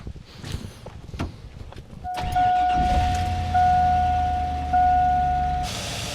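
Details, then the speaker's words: 2002 Chevy Avalanche 1500 with 5.3 LM7 V8. Short crank, then it catches and settles into a smooth, steady low idle with a chime over it; the engine is running well. "Oh yeah, like I said, it's running good. Real good. 5.3 LM7."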